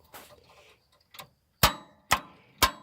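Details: John Deere tractor in neutral won't start: single sharp clicks about every half second with no cranking.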